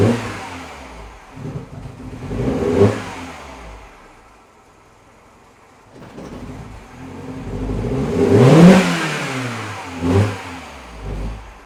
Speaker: now it's trying to restore again especially when you just bleep the throttle right so that's what i wanted to capture this morning